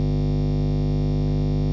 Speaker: The most common kind of noise guitarists come across is main's hum, which sounds like this.